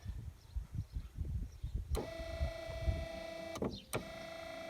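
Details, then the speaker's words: 1993 Chevy Lumina APV windshield wiper motor after resoldering circuit board and fixing broken part, wipers weak after washes; low speed: steady electric whine, briefly cuts out and resumes same pitch; normal operation. "So that's slow, and let's go to high. Oh, look at that. I think we fixed it."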